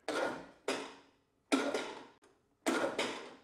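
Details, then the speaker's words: Riding mower, Briggs & Stratton Intek engine, won't turn over: four short cranking bursts, each stopping within about half a second at compression; broken camshaft decompression (compression release) cam, not battery or starter. "so the starter's trying to turn it over but but as soon as it hits compression it it stops"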